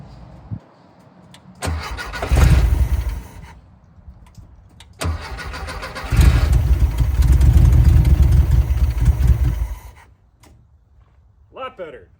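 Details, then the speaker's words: 1974 VW Thing flat-four, long neglected, running on its stand after a throttle rod stuck down at wide open was freed. It cranks and catches, runs in two uneven chuffing bursts with a low beat, then cuts out. "all right so now that it's not full throttle it's not stuck wide open this should sound better"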